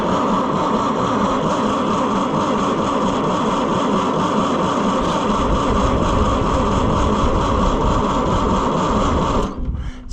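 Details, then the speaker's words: Oliver 550 diesel tractor, second attempt to revive, injection lines loosened to check fuel delivery: steady uneven starter churning for ten seconds without a firing stroke; no fuel through. "All right, friends. I've got the injection lines loosened. We are going to crank on it and see if anything comes out of the injection lines today."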